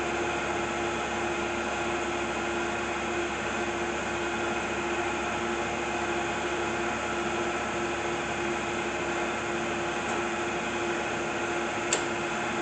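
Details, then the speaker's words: 1997 Acer Ultima 3Vk 10x50 vertical milling machine, 3 hp head, very little use, under power: very quiet, steady motor hum with constant faint tone, no grinding or knocking; runs smooth and healthy. "Very quiet."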